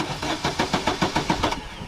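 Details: Vauxhall/Opel Astra, crank no start: the starter cranks in a steady rhythm, about seven compression pulses a second, but the engine never fires. Cam sensor signals test fine. A cheap part fitted by a previous garage is blamed; the faulty part is not confirmed.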